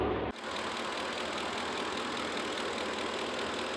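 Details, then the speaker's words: 2004 Ford F150 5.4L V8 after timing component reassembly (bearings had been scored), during test drive: steady even idle with soft hiss, no knock or tick; sounds pretty darn quiet now. "sounds pretty darn quiet now"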